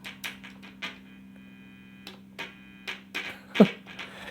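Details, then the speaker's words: Behringer BM-12 ring modulator guitar pedal in chain through Fender Deluxe Reverb/Orange mini amp: steady low mains-type hum under playing and switch clicks; grounding issue suspected, maybe the switch. "I mean, okay, it's got a grounding issue. I mean, probably could fix that."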